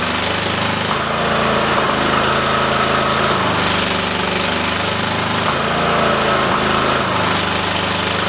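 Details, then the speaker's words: Cub Cadet small engine before carb rebuild, screw refitted and cranked: runs fine briefly then stumbles as if fuel-starved or missing; owner suspects faulty, leaking fuel solenoid drawing air; engine missing and stumbling. "when it's running it'll run fantastic for a minute and then it'll act like it's uh not getting enough gas or it even sounds like it might may be missing like a bad coil"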